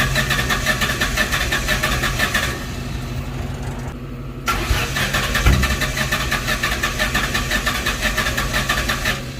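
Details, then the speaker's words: 2004 Ford Mustang GT that sat about six weeks, crankshaft position sensor replaced, engine set at TDC, microphone at rear by exhaust, strong fuel smell: steady cranking with even compression pulses and a pause, never fires; crank no start, fuel rail sensor next suspected. "Okay so at this point it's not starting with the crankshaft position sensor so I'm gonna go ahead and switch out this fuel rail sensor see if that helps"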